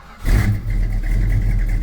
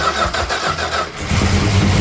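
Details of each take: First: 1972 Plymouth Road Runner 440 V8 with Flowmaster mufflers, after refitting the exhaust manifold flange: sharp blips then steady even rumble, leak chuff gone, only a faint little tick remains; acceptable for the trip home. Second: 1972 Plymouth Road Runner 440 V8, four-speed, first start after mechanical rework: cranks, catches, lumpy idle with throttle blips and rapid puffing tick on one bank; massive exhaust leak on that side, cause not found, otherwise runs well.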